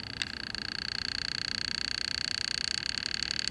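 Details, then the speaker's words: Sears-branded Toshiba vintage tube TV during vertical deflection repair, 6GH8 tube replaced, brightness down, speaker disconnected: thin, steady high-pitched buzz with rapid even pulse that changes as vertical hold is turned; normal vertical deflection buzz. "So our vertical hold adjusts that speed. So I'm going to turn the vertical hold and you'll hear it change."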